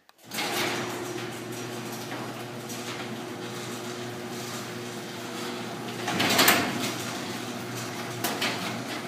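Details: Garage door running on its opener, with a steady hum and door rumble, then a loud bang as a sagging section droops low on the way up and drops and pops on the way down. Heard during a DIY repair attempt using a metal bar.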